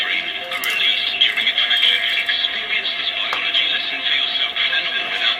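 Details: Vega Ruby 1960s Soviet pocket transistor clock radio after contact-cleaning the switch: clean, thin broadcast sound from a small test speaker with no crackle or dropouts, volume control crackle-free; playing normally.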